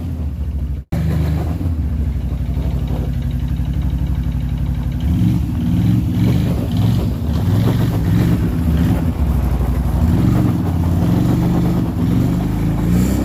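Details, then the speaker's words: Rebuilt 2007 Can-Am Outlander 500 single-cylinder engine after replacing a sliced fuel line: it catches and revs up and down smoothly with a steady pulsing exhaust and no knocks. "gonna have to replace that however the project is a success it's running"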